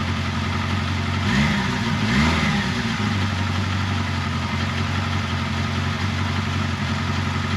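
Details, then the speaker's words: 1979 Kawasaki KZ1000 shaft, first start after resealing the intake boots, re-torquing the head bolts, cleaning the carbs and checking valve clearances: a steady, low four-cylinder burble settling to an even idle after throttle blips, no knocks or rattles. Normal idle and revving. "all right as you can hear no bad noises everything sounded good"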